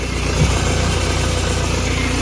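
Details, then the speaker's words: 2011 BMW E91 diesel with 6HP21 automatic: a steady low ringing hum under the cold-start idle from a failing torque converter. The clutch slips once a gear is engaged; the gearbox is to be replaced. "Такие звуки она издаёт, как заводишь, звенит бублик. Включаю скорость, буксует сцепление."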